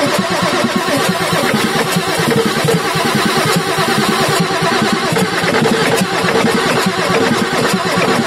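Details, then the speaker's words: Ford F350 6.9L IDI diesel after injection pump replacement: starter turns the engine in a fast, steady chug for several seconds without catching, extended cranking while fuel lines are bled of air; starter then rested to cool. "oh okay let me let that starter cool down okay let's see if we can get her started"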